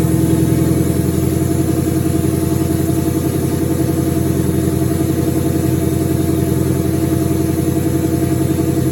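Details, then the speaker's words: 2003 turbo Mustang Cobra V8 idling after reinstall with new valve cover gaskets, about 55 psi return-style fuel, intercooler cold-side pipe disconnected: steady even low rumble, smooth unbroken beat, no knocks or misses; normal idle. "And good to go. Sounds good. I'm glad to hear it run again."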